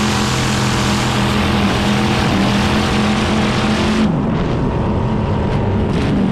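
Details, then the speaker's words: Drag boat race engine at Columbia Drag Boat Association event in Oregon; now loud, crackly, cackly steady high idle with choppy lumpy exhaust, no misses, running right like in San Angelo. "We got the motor running right. It sounds real cackly and runs just like it did back in San Angelo."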